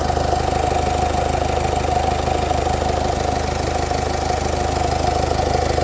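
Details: Mercedes OM654.916 diesel at idle; steady clatter with an even rapid tick about two and a half per second, owner unsure whether normal; cause unclear; unusual idle noise.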